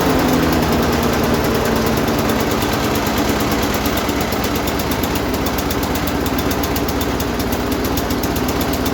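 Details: Lawn mower engine swap, Briggs & Stratton Quantum auto-choke engine after tightening the loose carburetor bowl nut that leaked fuel: single-cylinder running at steady, even speed with a regular beat, no knocks or misses.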